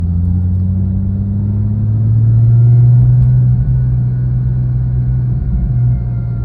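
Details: Porsche 997.1 Turbo engine running, steady rumble with a faint even whir from a bad idler pulley bearing, the pulley just below the A/C compressor.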